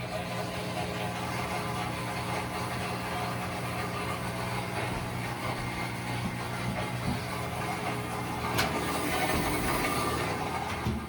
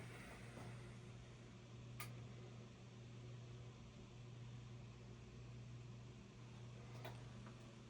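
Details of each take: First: Whirlpool-built top-load washer constantly humming as soon as it is plugged in: steady low electrical hum of the drain pump running continuously, attributed to a faulty control board or fill/water-level sensor; fixed by replacing the control board. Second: Whirlpool-built top-load washer after control board replacement for constant pump humming: plugged in, a few soft clicks show the board powering on, with no pump hum. Normal power-up.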